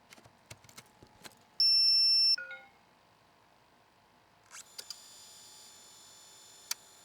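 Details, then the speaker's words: Iomega Clik! 40 MB micro-floppy drive under Windows, microphone near the computer. A single clean high beep on disc insertion, then a rising spin-up whir with light access ticks as the OS reads the disc, then spin-down: normal operation. "that so you hear that beep when you insert it and then the disc spins up and then it very quickly spins down like it I mean it accesses you hear a little bit of access and that's the OS just reading the disc"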